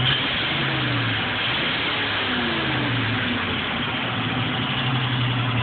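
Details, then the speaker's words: 1973 International 1310 1-ton truck, 392ci V8, T-34 5-speed, 34,438 original miles, warm after driving all morning: steady even idle with a low rumble, no knocks or misses; normal warm idle. "i think i wanna give her a fire up but y'all listen to it it's not a cold start it's uh i've been driving it all morning"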